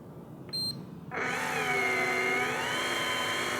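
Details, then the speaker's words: Daiwa electric fishing reel set to auto-stop 2 m from the rod tip, retrieving line let out to about 10 m: a short beep, then a steady, even, high motor whine as line winds in, working normally. "So if I now let out another bunch of line, run it out to, say 10 metres, just like that, and I now choose to retrieve."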